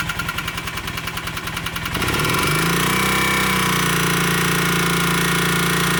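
A sharp, regular knock at about three and a half per second rides over the idle, then blends into a steadier drone; knocking bottom end.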